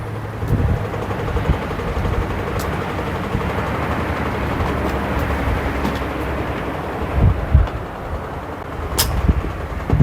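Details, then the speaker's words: Midea 7 kg top-load washer MTE70GP after main control board replaced with a Super General board, starting spin after drain; low even rumble with no knocking or grinding, spinning normally, board working. "Yes, my dear, you can see here the machine already getting start spin cycle. That means no any problem with this control board, we can use without any problem."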